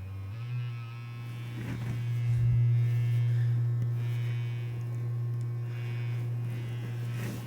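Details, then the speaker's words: 1977 CTS guitar speaker test: a steady low test tone carries a faint raspy buzz from the voice coil rubbing. The frame is bent out of round (oval), and pressing on the frame stops the rub. "hear that the coil is out of alignment with the frame there we go"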